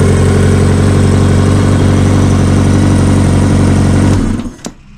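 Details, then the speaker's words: 1984 Honda Goldwing flat-four, first start after carburetor rebuild and diaphragm repair, no coolant and timing cover off; strong, even low thrum idle, no misses or knocks: normal idle. "And there we go. Looks like it's running pretty well."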